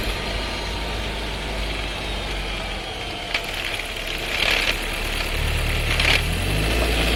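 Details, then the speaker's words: New Skoda Scala 1.5 TSI with dry-clutch DSG, six months old, about 3500 km, heard in the cabin: over a steady engine drone come sharp clunks and a brief rattle on a loud downshift; undiagnosed, awaiting the dealer. "Loud downshift Vibration, rattling noise"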